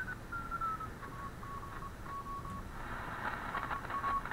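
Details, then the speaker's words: Heathkit SW7800 digital general-coverage shortwave receiver, repaired (RF choke replaced, 12 V regulator and filter capacitor added to cut hum): clear keyed CW tone near 1 kHz over soft storm static, no hum; clean CW note. "you can hear that's got a nice CW note to it along with some static there's some storms out there"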